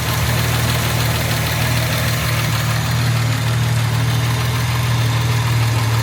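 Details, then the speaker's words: Jaguar MKII carbureted engine at idle, heard from the engine rather than the exhaust: even idle with light, quick ticking on top; owner says carburetors need refinement and valve shims need adjusting, suggesting tappet clearance noise. "Now, to me, it's not perfect. It's fucking good, but it's not perfect. Needs a little bit of refinement on the carburetors themselves, and I hate to say it, the shims."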